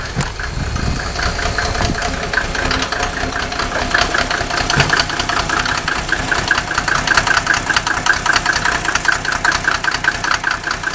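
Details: Mercedes OM603 diesel, cold: uneven idle, irregular beats about every half second over harsh clatter, misfiring; smoke drops only with injector lines 2 and 6 cracked, glow plugs tested fine, still rough warm; cause unconfirmed.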